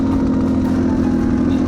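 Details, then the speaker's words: Yamaha TTR230 single-cylinder on trail: uneven, hollow stumbling thump, idles but unhappy with any throttle, sounds like lawnmower; misfiring, owner suspects rings not holding compression at higher revs, cause unconfirmed. "it sounds like it's not firing all the way but it idle spine as soon as i get any gas it's just not happy at all"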